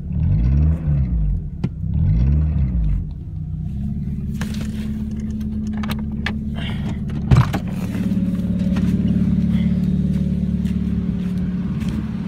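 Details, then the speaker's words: Engine starts evenly and runs with a deep rumble; owner suspects one knock is piston slap; a second intermittent knock starts at 2000 rpm and grows with revs, seems to come from the alternator side, owner wonders if valves; cause unknown. "Вот это, скорее всего, наверное, поршневая стучит. А вот второй стук, который там появляется, вот бьюсь, вот уму приложить не могу, мужики, что это такое?"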